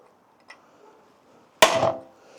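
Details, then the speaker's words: Roughly 100-year-old Raleigh High Nelly ladies bike, crank cotter pin heated then struck with punch and hammer: single flat, dull strike with no ring or give; cotter pin solidly seized, must be cut. "You can hear how dead that is, like, that's not moving. Okay, it's got to be cut."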